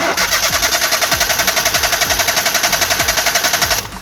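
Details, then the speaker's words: 3-cylinder car with three ignition coils, all plug leads disconnected one by one for a spark plug test: the starter cranks evenly at about eight beats a second but the engine never catches; no spark, so it cannot start. "എന്തായാലും start ആവത്തില്ല. എന്തായാലും ഞാൻ നിങ്ങളൊന്ന് വെറുതെ കാണിക്കണമെന്നേ ഉള്ളൂ."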